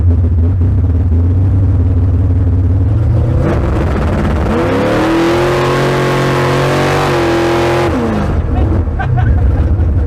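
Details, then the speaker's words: Bad Penny, automatic transmission just fitted with a new Freak Show torque converter, street test: engine revs climb under load, then drop cleanly in one firm step on the upshift; crisp, positive shifts, normal. "Yeah, it's working a lot better now. You can actually hear the shift."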